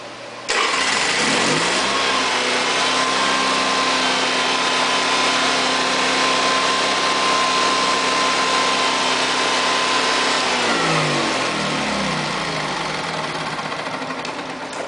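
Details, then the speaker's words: Honda EV6010 generator, still a little warm, started with the choke taken off by hand: catches at once and settles into a steady, even drone for about ten seconds. Running normally. "Okay, everything's running."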